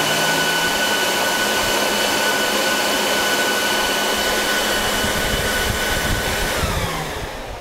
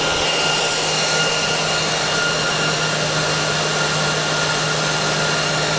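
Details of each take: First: Dell PowerEdge 2950 II server in a roughly 20–25°C room: removing a hard drive makes fans ramp up, loud steady roar with thin high whistle, then sliding down. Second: Dell PowerEdge 2950 II server after power-up; loud even air rush with thin steady whine, fans at full speed after startup, slowly ramping down; normal.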